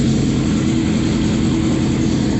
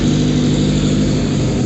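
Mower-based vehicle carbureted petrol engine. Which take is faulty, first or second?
second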